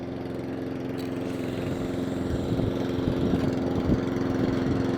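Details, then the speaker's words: Mountfield SP454 self-propelled lawn mower idling steadily at an even beat after the carburettor's slow-running idle circuit was cleaned; previously hunting and surging, now no hunting. Idle slightly slow, to be adjusted up. "So slow idle circuit. It's not hunting and surging at the moment."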